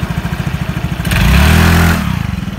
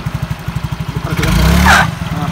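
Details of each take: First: Yamaha Mio J/Exride 115cc scooter after replacing the slipping CVT part blamed for weak pull and poor hill climbing: even idle pulses, a clean smooth rev and a steady idle, belt drive pulling without slip or rattle. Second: Yamaha Mio J / Exride 115cc scooter, weak pull and struggles on hills: even idle thumping, then throttle blip brings short high squeal like a pinched mouse from the CVT as revs rise; worn, holed variator parts found.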